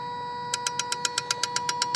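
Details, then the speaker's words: Engine-off active test from a scan tool on the engine control module, microphone close to injector number one behind the engine: crisp, even clicking about eight times a second, normal injector operation. "Och då har vi ju spridarna precis här bakom. Om vi då ska testa spridare nummer ett här."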